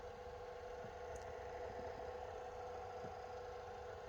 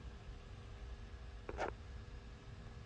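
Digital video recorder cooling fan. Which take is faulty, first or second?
first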